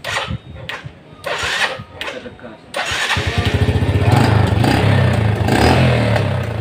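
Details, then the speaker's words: Old Yamaha Vega R after charging wiring fixed and a faulty new regulator/rectifier found burnt; quick crank, the single catches at once and idles steadily, starter fine and battery now charging. Normal start. "Oke, motor udah top chair kembali ya. Di starter juga udah enak."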